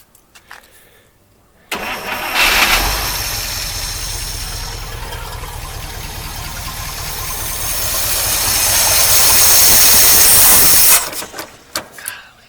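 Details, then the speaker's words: 1953 Oldsmobile Rocket Super 88 barn-find V8 after accelerator pump adjustment: cranks, catches, labours unevenly as the throttle is pushed at the carburetor, then dies after several seconds. Stalls when throttle is opened; owner suspects the carburetor. "so I have to climb up on top of it and watch what happens when I push on the throttle down the carburetor I just doesn't like it [Applause] so weird just you see just die"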